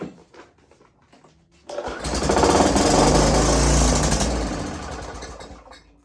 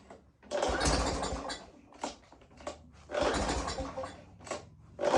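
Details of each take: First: Greasy curbside-find two-stroke string trimmer, fresh gas and oil added, primer working status unknown, given a shot of starting spray: catches with a rapid buzzing run that fades within seconds; starts then stalls, owner thinks it needs more fuel. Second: Greasy curb-found string trimmer, low oil topped up, restarted after first not staying running; small engine catches and revs in short bursts between throttle blips and keeps running, smoking heavily as oil burns off the covered cylinder and oily intake.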